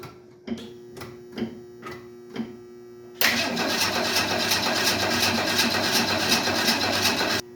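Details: 1968 Ford Mustang with a weak, recently charged battery: slow cranking, then it catches and runs about four seconds before stalling; owner suspects no gas in the lines or a bad fuel pump.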